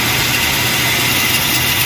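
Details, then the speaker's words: Toyota Revo, idling: harsh, steady gritty grinding from the belt drive; tensioner pulley bearing found badly worn and loose, replaced. "ayan talaga sira talaga siya ah lagas yung bearing niya lahat layo sa original no"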